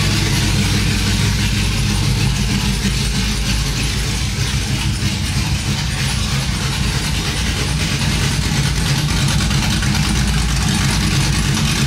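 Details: Cammed 5.3 V8 Silverado on freshly installed long tube headers with no exhaust behind them, after first start: very loud, deep choppy idle with an uneven lope of about three pulses a second, steady throughout; healthy.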